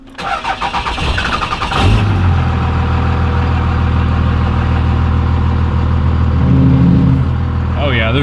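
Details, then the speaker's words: Cummins diesel truck: starter grinds a few slow turns before catching, then steady low clatter at idle; hard starting, owner suspects failing injectors or injection pump, must bump starter to let fuel pump run. "i think my injectors are going out gotta get new injectors or my injection pump i'm not sure but i don't like to start sometimes so i gotta always bump the starter let the fuel pump run"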